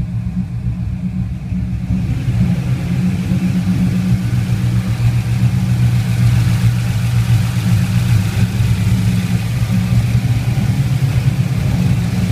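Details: LS1 V8 at idle: deep steady rumble with a faint uneven pulse underneath; rough idle, cause not pinned down.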